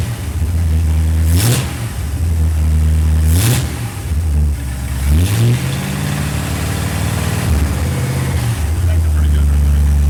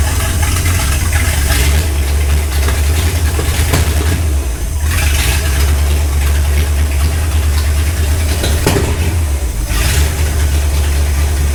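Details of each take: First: Restored Ford Galaxie 500 V8, initial timing about 10 degrees, then 15 initial, 36 total; even idle then three quick clean rev blips settling back: normal running. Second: Ford Galaxie 500 on first start after restoration, third attempt after belt tightened, firing order checked; loud lumpy idle with sharp pops every few seconds; sounded like excess fuel, carburetor leaking, floats possibly too high, cause unconfirmed: backfiring, rough running.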